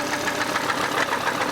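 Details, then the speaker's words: Volvo C70 2.0 turbo five-cylinder at idle: rapid, sharp metallic knocking repeating steadily over the engine note, a serious internal knock of unknown cause; the owner bought a replacement engine rather than investigate. "and this is the reason why hear that noise it's not healthy"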